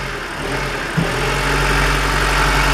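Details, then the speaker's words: Warm Honda Civic, 1.5–2.0 L, with a P0505 idle air control valve issue: after a switch is removed, the idle settles steady and even with no surging. "see how smooth it is now [Music] since is off and here the different it's all nice and smooth"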